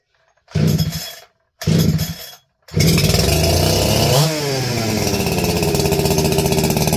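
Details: NeoTec 865 chainsaw with ported 50mm top end, choked, with fuel and bar oil, chain brake on: several short bursts as it fires, then catches and settles into a steady, rapid burble at idle; starts and runs fine.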